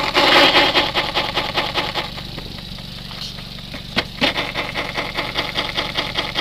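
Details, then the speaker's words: Suzuki SX4 with high-speed vibration, rear tire spun on the car: steady rhythmic swishing rub about 2.5 times a second over the idling engine, less out-of-round than the fronts; owner suspects rims not round; out-of-round tire rub. "Wow, they're pretty consistent. You can hear a cadence. Yeah, it doesn't seem like this one has isn't as out around as the front two are."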